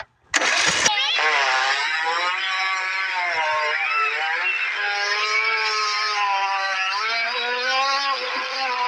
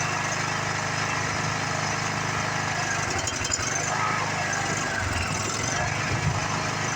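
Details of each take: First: Craftsman riding mower, sat for years, cylinder likely full of varnish-smelling fuel, plug out and PB sprayed in: cranking to purge, brief bang then steady high-pitched starter whirring with wavering tone, engine turning without firing, expelling nasty stuff. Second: Free Craftsman riding mower that sat in a garage for years, now running after work: the small single runs smooth and even with no knock or flutter. It stopped smoking, starts easily and sounds healthy.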